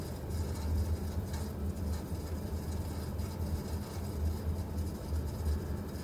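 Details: Vaillant VUW 202/2-3 R2 gas boiler running with a steady low rumble and an uneven, arrhythmic throb, an unexplained strange noise.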